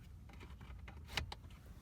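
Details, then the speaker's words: 2000 Dodge Grand Caravan in Alaska at about 20 below, fan switched on and off: faint small-motor whirr and light clicks as the blend door actuator spins normally inside the cabin, after the actuator motor repair for constant lukewarm heat. "just gonna turn that fan on real quick on and off so I can hear that Actuator motor again so it's spinning"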